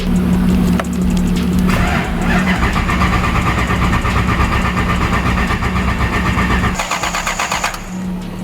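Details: Lexus IS200 with a swapped 1UZ V8 on ECU Master, timing set to 16 degrees, fuel pressure 58 dropping to 40 after an earlier fuel pump problem: steady starter grind with even compression pulses, about four a second, never catches. Crank, no start.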